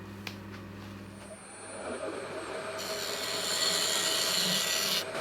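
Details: Wood lathe turning a pine-cone epoxy resin blank just after replacing the worn tip: smooth, even shaving hiss with no catches or chatter; clean cut.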